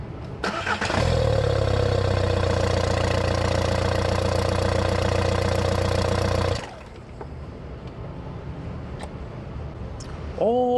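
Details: VW 1J 1.9L ALH TDI after cleaning sticking intake shutoff flap and vacuum pod, a common no-start cause: diesel cranks, catches within a second, even clatter, shuts off cleanly; starts and runs normally.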